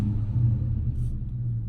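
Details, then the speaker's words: Ford Mustang after overheating, with a new performance intake manifold, water pump, thermostat, temp sensor and flushed coolant: a deep, steady rumble as the engine catches and runs evenly. Normal start, better than before, no coolant leaking from the intake. "Starts up way better than it used to. No coolant spilling out of the intake manifold."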